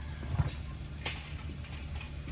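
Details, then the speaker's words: Hyundai Veloster after replacing the worn steering column flexible coupler: steady low engine hum while the wheel is turned, with the earlier clicking/clunking gone. "sounds gone no more clunking it's telling this perfect"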